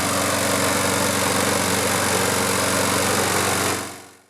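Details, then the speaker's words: Toro Recycler mower, Briggs & Stratton engine, after draining tank and cleaning clogged carburetor: steady even buzz nearly four seconds, no surging or misfire, winds down cleanly at shutoff; fixed. "we drained the gas tank took the carburetor off took it all apart cleaned it put it back together and she starts on a first pull"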